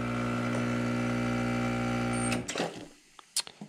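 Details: Profitec Pro 600 espresso machine: a steady, even pump buzz that cuts off, leaving drips and clicks. Quieter than the Expobar Brewtus IV; normal vibration-pump operation.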